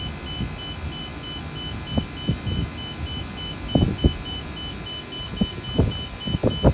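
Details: Vacuum pump running on battery: shrill repeating warning beep over low pump chugging, heartbeat quickening and alarm louder as the battery dies; check valve holds vacuum when it stops.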